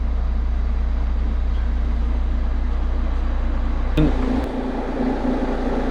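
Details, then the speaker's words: 2019 Vauxhall Vivaro 1.6 diesel after intermittent no-start repair: steady, even diesel idle with smooth low chug, no knocks or misses; no warning lights or fault codes. "Engine starts. No warning lights on."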